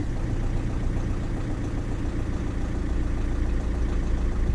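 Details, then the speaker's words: 2007 Ford Fiesta 1.4 TDCi diesel after injector fix, started first time on a jump pack: steady, even diesel idle with no stumble or misfire, only a slight judder when accelerating; normal idle. "that's way better than it was oh it yes not misfiring there's a slight kind of judder as you accelerate but that's way better than it was"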